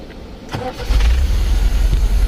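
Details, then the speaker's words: MGB with freshly rebuilt carburetors, in neutral: brief crank then fires right up into a steady even idle, loud intake hiss because no air filters are fitted; mixture adjusted, running great. "and you can hear just fires right up running great all that hissing sound is cuz I don't have air filters on here so it's just sucking in so much air"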